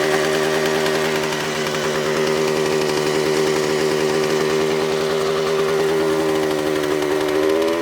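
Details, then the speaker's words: Suzuki TS400 Apache two-stroke, sat outside for years, first start with carburetor untouched after two kicks: screams at high steady pitch, then climbs further. Runaway revving; air leaks to be checked. "okay yesterday it had a little bit of a we call it a runaway situation we shut it down before it got out of control"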